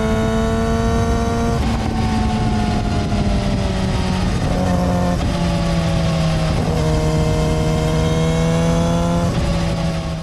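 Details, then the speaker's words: Yamaha R6 at 25,000 miles with a new chain and undamped solid metal front sprocket: a high-pitched steady hum over the exhaust note whenever on the throttle, gone off the gas; stock rubber-cushioned sprocket is quieter. "So you probably heard that sound whenever I gave a gas on the bike. You hear just a hum, high-pitched noise, kind of interesting sounding."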